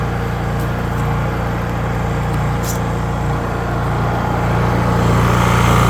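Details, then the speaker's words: Honda EU3000is generator after carburetor replacement, fresh gasoline, run outdoors: steady, even drone with constant low hum, no misses or knocks, fastest crank-up seen; normal running. "Now I'm going to crank it up. That's the fastest I've seen it crank up."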